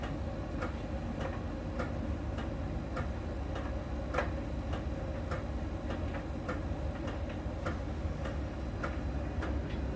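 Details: Miele dryer during drying: crisp ticks about 1.5 per second over low drum rumble; normal, a small ball sensor rolling on the drum touches a contact spot each rotation, per technician.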